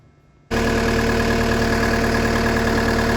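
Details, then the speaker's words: Cat skid loader diesel after injector replacement and injector trim codes loaded: steady even idle, smooth low rumble, no knocks or misses; running nice and smooth. "sure if you can hear a difference or not, but it does sound like it's running really nice and smooth."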